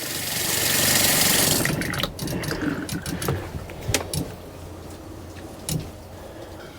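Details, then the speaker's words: Caravan or camper fresh-water pump after replacement: water ticks, spits and sputters from the tap in uneven rapid bursts, about four a second; most likely air still in the line, possibly a leak, pump needs minor adjustment. "Now, if you can hear how it's ticking, that means there's either a leak or just a bit of air in the line most likely still."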